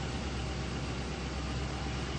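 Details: Ford Expedition after fuel pump relay power restored by cycling the key, charging confirmed: low, steady idle rumble with no stumble or dropouts; engine holds running.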